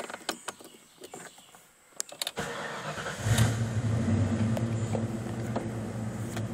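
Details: 1995 Ford Mustang GT V8, OBD1 key-on-engine-running self-test with the EEC self-test jumpered: cranks and catches quickly, then a steady raised idle with no knocks or misses as RPM stays high for two to three minutes while codes output; normal fast idle.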